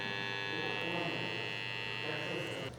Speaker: короткозамкнутый виток я повредил теперь посмотрим как это будет работе собирая контакт подавал питание можно услышать как он стал удить